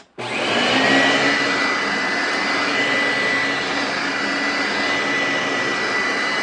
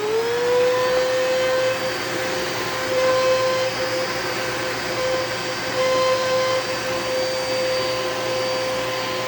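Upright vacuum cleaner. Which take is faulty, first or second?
second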